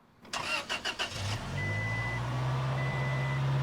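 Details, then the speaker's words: 2006 Toyota Tacoma said to need a full engine rebuild after overheating, started before loading onto the trailer: a few quick cranks, then it catches and settles into a steady, even idle with no knocks or ticks; starts and runs normally. "um it does start up right now it overheated um it got pretty hot it's going to need a bunch of engine work but for now we're going to start it up"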